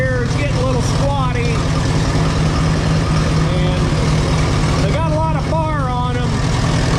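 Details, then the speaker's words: 1952 Allis-Chalmers WD four-cylinder tractor converted to 12 volt with a 3 ohm coil and resistor, idling; low lumpy uneven beat with dropped pulses. Owner suspects it's running on only three cylinders; misfire not confirmed. "Still think it's only running on three cylinders."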